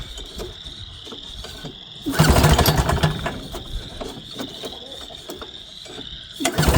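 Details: Northstar 10000 PPG 10 kW generator from auction, old gas smell: two hard recoil pulls, each a short burst of chuffing that dies away; it turns over but won't start, cause unconfirmed.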